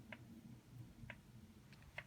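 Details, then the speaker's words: Carver PM-1200 power amplifier at power-on goes straight into protection, solid red protection light, fans not running: sharp dry clicks about once a second inside the unit over a quiet hum, cause unknown. "clicking on the inside of the unit i don't know if you can see it but the fans are not running back there i don't know if it has something to do with that there is a clicking coming from inside of the unit"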